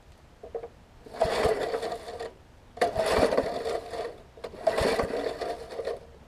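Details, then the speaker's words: Murray 20" mower engine, dormant with stuck-open intake valve, freed up and head cleaned and refitted, oil in cylinder: three firm rope pulls with strong, even chuffing resistance; good compression on pull-start cranking. "it has a lot more compression than it did it has some oil in it"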